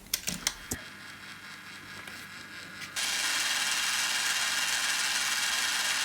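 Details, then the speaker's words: Philips CD555 boombox (1985/86) tape mechanism: sharp clicks as play is pressed, then only a steady motor whir with no engagement; the white lever misses its notch and stops the servo head rising fully, so the head doesn't engage. Fixed later with an added spring. "if you click on play um this little lever prevents the server head to go up the full way"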